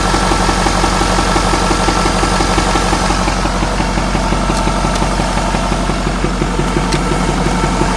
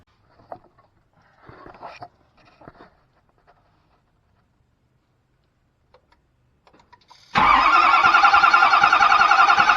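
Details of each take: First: Ford F-450 6.7 Powerstroke diesel, reported engine knock, significant front oil leak, batteries recharged: idle with steady lumpy beat near three per second, no knocking heard; misfire, owner suspects cylinder issue, possibly failed number five injector. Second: Ford F450 6.7 Powerstroke with a reported engine knock and front oil leak, cranking during a compression test: sudden strong, even crank about 3.5 beats per second, no misses; cylinders 5 and 6 read about 350 psi, normal cranking.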